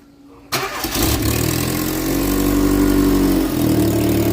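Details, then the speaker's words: Opel Corsa 1.4 utility, roughly 20–25 years old, 120,000 km: engine cranks and catches, then rough, raspy idle with a chuffing edge; exhaust leaking badly at the downpipe flange. "You can hear that the exhaust is leaking quite badly. It is actually at this downpipe plunge."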